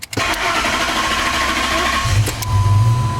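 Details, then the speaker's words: Ford F-150 with power loss, rough running and check engine light, fuel trims high (about 29-30 long term): starter churns about two seconds before catching; long crank time, hard start from low fuel pressure. "long crank time and let's just keep an eye on these o2s"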